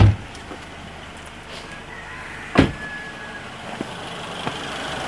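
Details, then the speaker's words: 2010 Suzuki Grand Vitara idling with AC on: steady radiator and condenser fan rush and one sharp click as the compressor clutch engages; AC clutch and fans normal, fault is only in the blower motor power stage. "Okay, the compressor clutch is in. The fans are blowing. So, it's only a problem with the blow."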